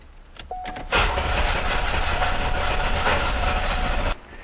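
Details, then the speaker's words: Owner thinks it is a 1991 or 1992 Olds 98; cranked with the gas pedal held down to open the throttle plates. About three seconds of steady starter churn that never fires. Cranks, no start; opening the throttle made no difference; cause not yet found. "Okay, so opening up the throttle plates made absolutely no difference."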